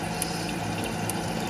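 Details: Toilet tank refilling frequently with no flush: continuous hiss and trickle of water. The flapper seal's top surface is not sealing, so water leaks past it.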